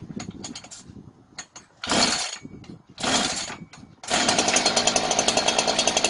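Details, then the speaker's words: Two-stroke chainsaw that would not start, spark confirmed and WD-40 sprayed into the spark plug hole; after a few pulls it catches and runs briefly with even fast buzzing, showing the engine itself is sound: normal start. "Máy bạn thấy bây giờ có động cơ bình thường nên đã khởi động được."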